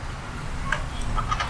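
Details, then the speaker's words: Lectric XP fat-tire e-bike: short, squeaky creaks over a low rumble from loose rear-wheel spokes rubbing together where they cross, worse when riding; hand check finds them a little loose, to be tightened at a bike shop. "My spokes are giving off a creaking noise now, and when I hand checked them, they are a little loose, so I'm about to take them up, my bike up to a local bike shop."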